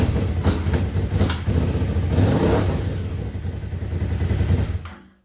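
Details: 1998 Suzuki TL1000R twin, first start after 15 years sitting, very old oil and no coolant: deep lumpy twin-cylinder beat picks up cleanly with each throttle blip, then shuts off; fires and revs healthily.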